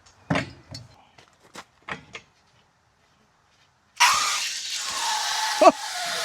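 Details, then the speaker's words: Air compressor tank being drained after moisture came out of the air nailer and water was heard inside: handling clicks, then a sudden steady hiss of air rushing out with a spit midway; draining water from the tank. "And he said I should drain my compressor. And I did notice after he said that, like, I probably should drain the compressor because I can actually hear the water inside"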